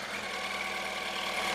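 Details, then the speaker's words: Yamaha R1 after clutch replacement, restarted following a short ride around the block: smooth, even idle with a steady high-pitched buzz and no rattle or noise from the clutch; engine sounds healthy. "Let's see if we can hear any noises from the clutch as well. That sounds sweet, alhamdulillah."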